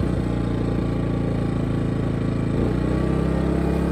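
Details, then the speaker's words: Small 2000 W suitcase inverter generator, heard from outside, running a camper AC before the hard start capacitor is fitted: a steady even low drone with no hunting, knocking or surging, normal running. "okay so it's up and running okay so you can hear the little generator outside running"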